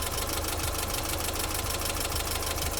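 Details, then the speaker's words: BMW E30 318i idling at about half on the temperature gauge after warm-up: a rushing, pulsing fan roar builds as the viscous fan clutch kicks in and becomes hard to stop; the temperature holds at half, so the clutch is working. "I can feel that now that is blowing a lot more than before it's definitely hard to stop I can hear it now it's just started kicking in"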